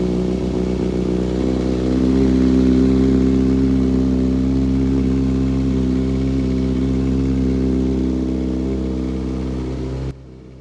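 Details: 2016 Kawasaki ZX6R that the seller couldn't get running for two months, after the fuel pump was plugged in and primed: fires up and holds strong, even rising and falling revs with a clean, steady rhythm, running and revving normally.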